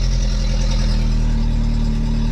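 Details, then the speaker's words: VW Mk3 at idle after a temporary exhaust patch (a flexible pipe section is still needed): loud, raspy, boomy note, much quieter than before but not right. Exhaust still leaking. "like i said it should be more a bit more muffled but it's definitely not right oh wow"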